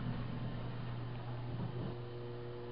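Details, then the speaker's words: 1990 Otis in-ground hydraulic elevator with very loud motor: low steady hum with a thin electrical buzz each time the door opens; source of buzzing not identified. "there store is Meine and what is that noise it makes this buzzing noise every time the door opens"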